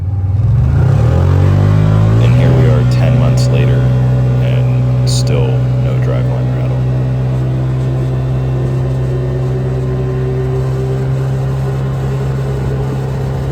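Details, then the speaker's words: Can-Am Commander after a driveline rattle fix with a new carrier bearing and a heater-hose sleeve. While driving, the engine climbs to a steady, even hum with no loose metallic rattle underneath; the driveline now sounds normal. "put it all back together and that that drive shaft rattle is gone"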